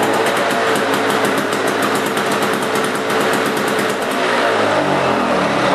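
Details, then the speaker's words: Two-stroke Lawn-Boy lawn mower engine started briefly then shut off: crisp, fast, even buzzing firing, then the beat slows and fades at shutdown; healthy old two-cycle mower engine running normally. "anyway some people like the sound of them some don't i like the sound of the old two cycle engines on lawn mowers"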